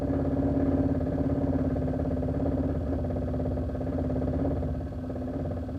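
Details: 2001 Chevrolet Silverado LS 1500, engine running (part 2 recording, better audio): light, fairly steady rattle about three times a second over the idle; owner, not a mechanic, cannot identify the source.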